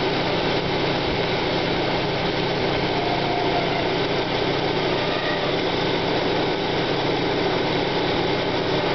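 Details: 1995 Plymouth Neon Sport DOHC, cold start: steady coarse grinding at idle that fades as the engine warms. Timing belt seen walking on the idler pulley; owner suspects idler bearing failure or possibly the water pump. Cause unconfirmed.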